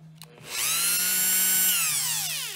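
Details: Dremel 4000 rotary tool after repair, plastic tab on the brush guide carved away so the brush moves freely: whine climbs quickly to a steady high pitch, holds evenly without rattle or surging, then winds down smoothly; normal running.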